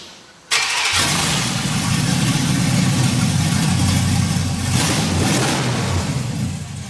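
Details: LS-powered 1957 Chevy Bel Air wagon, first start with new fuel pump and key switch: quick crank, fires almost at once, settles into strong, steady, even V8 idle with no misses or knocks.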